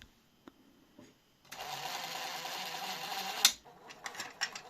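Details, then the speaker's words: Grundig SCF6100 cassette deck during first test after mechanical overhaul, capstan spinning: loud buzzing chatter from tape transport about two seconds then stops; misfitted plastic switch actuator fouling the mechanism, noise stopped once refitted correctly. "I think I found the issue. This piece of plastic needs to be the other side needs to be like like this."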